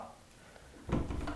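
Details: Door after chiseling out the strike plate area for the latch: quiet room, then one solid pop near the end as the latch snaps into the strike; the door is now latched securely.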